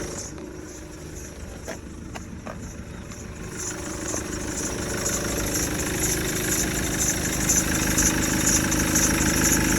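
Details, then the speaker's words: Maxus V90 diesel at idle after breakdown with smoke and oil everywhere; steady even clatter, no knocks or misses, earlier noise was just oil on the drive belt, engine healthy; oil leak later traced toward oil cooler. "it's just oil on the belt making that noise it's ticking over ticks over brilliant there's nothing wrong with this engine"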